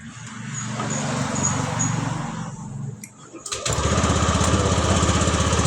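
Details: Scooter with a cold-start starter problem: engine cranks, catches cleanly after a brief pause and settles into a steady, even single-cylinder idle with no misses; battery holds 12 V, normal running.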